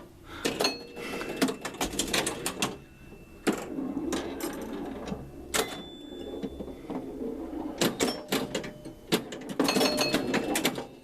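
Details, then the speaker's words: Cleaned and adjusted 1975 Williams Pat Hand electromechanical pinball; score of 14,680 matches the lit 80 match light, and amid relay and score reel clatter a single solid clunk sounds: the knocker firing a free game normally. "And did you hear the little clunk, the little knock? That's because the 80 match light is lit up and the score ended in 80. So I want a free game."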